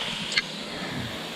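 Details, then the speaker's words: 2016 Porsche GT3RS 4.0 engine out of a wrecked track car, cylinder 1 leak-down just over 100 psi, 40% leakage versus 5-7% others: steady airy hiss into crankcase, engine not running; owner suspects broken rings. "So that's right at a little over 100 psi, right at 40% leak down."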